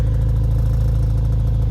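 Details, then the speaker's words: BMW X5M with stock exhaust, at idle in winter; fine metallic buzz on every firing pulse from the inner exhaust flaps, owner thinks it eases once warm; exhaust flap rattle. "I think once the car warms up, it goes away a little bit, but I don't really like it."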